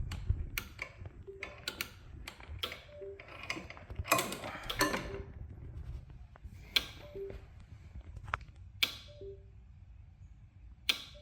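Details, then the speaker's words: Triple-cylinder two-stroke turbo project on a Spartan 2.0 custom EFI, engine off: fuel pump relay clicks irregularly about every second, ECU not connecting; owner first suspects a loose wire, later finds a faulty fuel pump drawing too much current. "must be a loose wire somewhere the fuel pump relay is clicking but it's uh not saying connected on the computer not sure why that is"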